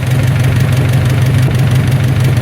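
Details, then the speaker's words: 1944 Ford 2N tractor idling in neutral on choke after an over-long oil pressure regulator was fixed: steady, even low idle with a deep thrum, no misses or knocks. Oil pressure is correct and nothing leaks, so the idle is normal. "Look at that, we're running right where we should on the oil pressure. Are we spewing oil out? Doesn't look like it. So far so good."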